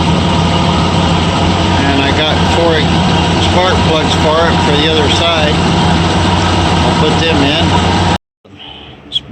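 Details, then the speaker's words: Ford F100 with 2-barrel carb after surging fix: steady even idle with smooth low beat, no knocks or misses, slightly fast, then set down lower; runs clean; normal idle. "idle's still kind of high but i left that a little high because of the that it was i'm gonna set it down that's a little better"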